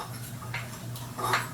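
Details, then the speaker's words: PowerBoss 5500 W generator, Briggs & Stratton 9.5 hp OHV, flywheel hand-turned after fitting ignition coil: slow rotation with short scraping rub at one spot; coil too close, catching flywheel, needs regapping. "now you want to check to make sure that it doesn't hit so we're gonna spin it it's close in a couple of areas but sounds okay grindy"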